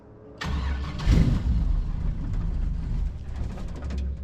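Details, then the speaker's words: 1974 Chevy K5 Blazer full convertible, V8, sitting 9+ months, new fuel lines fitted: catches on a squirt of prime fuel, runs rough and uneven a few seconds, then sags. No fuel is drawn from the tank, so it is fuel starvation. "Okay, it'll run. If we can get it some fuel."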